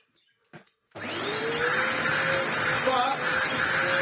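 Motor spins up to a steady, even whir with a clean airflow hiss; runs smoothly and suction sounds healthy.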